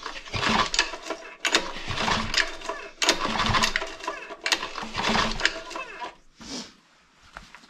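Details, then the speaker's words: Honda GX120 gasoline single-cylinder on a 2014 air compressor, choke apparently off; repeated pull-start cranks about every 1.5 seconds never catch, raw gas visibly coming from exhaust, owner thinks plug fouled again: cranks but won't start. "Whew. There's so much gas in the exhaust, you could just watch it come out. I think the plug is fouled again."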